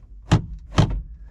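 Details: 1985 Chevy C10, cable-driven heater blend door under dash moved by hand and slammed shut: two dull thumps about half a second apart as the door seats fully; door working normally.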